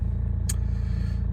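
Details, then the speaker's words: 2013 Nissan Juke 1.5 dCi diesel, 6-speed manual, about 75,000 miles: low, even idle chatter and a rev with no knocks or misses, just one small click. Healthy, smooth idle. "nice even idle I'll give it a REV hopefully you can hear there's nothing under W there it's all very very good as we would expect"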